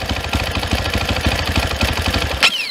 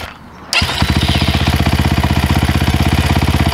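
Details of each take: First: 2022 SSR SR300 dirt bike, single cylinder at idle: the fuel screw is closed until the engine nearly dies, so the thumping falters and thins out, then cuts out lean; the screw is then opened to the highest idle point. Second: 2022 SSR Motorsports SR300 (SR330) single-cylinder dirt bike with FCR carburetor, fuel screw just set until idle stopped rising, idle brought down, not yet fully warm: fires and settles to a crisp, even thump, then blips cleanly and drops back; carburetion sounds spot on, normal idle and revs.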